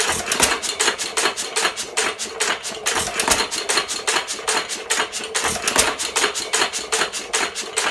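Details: 1917 Fuller and Johnson N single-cylinder hit-and-miss engine, first run in ten months after priming: crisp, sharp snaps about two or three a second with gaps between firings, normal healthy hit-and-miss running.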